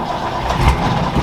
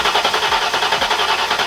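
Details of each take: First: Ford F-100 truck: short crank catches quickly into a deep, steady rumble with even firing and no knocks or misses; a healthy start and idle. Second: Ford F100 after re-timing the distributor: the starter churns steadily at about three and a half beats a second, stops, cranks again and never catches; crank, no start with injectors not firing, and fuel versus ignition not yet isolated.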